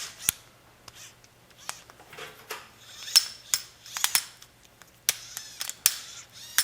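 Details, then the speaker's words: Microwave turntable not turning; its small turntable motor gets power and is turned by hand: irregular dry crunching, grinding clicks like stripped teeth, owner suspects small nylon gears inside are bad. Gear grinding noise. "worse and worse that's what I heard was grinding and and crunching and I'm sure these little gears in here nylon"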